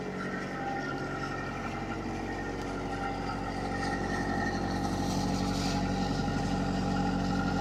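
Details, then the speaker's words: Boat diesel engine that sat 6 months and started without glow plugs, in forward gear while tied to the dock with the prop spinning: steady, even clatter with a firm low beat, no misses or knocks, no smoke. Normal running under load. "So I have it in forward, and it sounds good. And no smoke, which is really nice."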